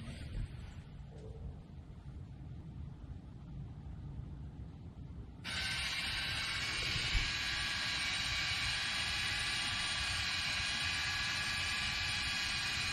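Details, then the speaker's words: Car with electric parking brake, rear calipers re-applied from the retracted pad-service position using an Xtool D5S scan tool: quiet, then a steady, even, uninterrupted high whir from the rear caliper motors. Normal operation. "so right now they're retracted to where you could put breake pads on your vehicle I'm going to put the camera out here I'm going to hit uh the off button and we're going to reset them"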